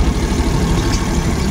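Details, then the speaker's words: Suzuki Every DA64V van with high idle and strong vibration, plugs disconnected one at a time: lumpy, uneven idle with irregular stumble; no change on cylinder two, which has spark, so misfire on number two. "ito walang pagbabago so dito tayo tututok sa second cylinder pero may kuryente siya oh naririnig ko ito Ayan so second cylinder ang may problema"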